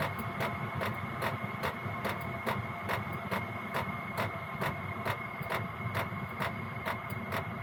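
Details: Gearlasso 8kW 12V/24V Chinese diesel heater in manual gear mode, warm, settling at P1 lowest constant output: crisp regular pump clicks about two per second over steady fan hum, easing slightly slower; normal low-output running.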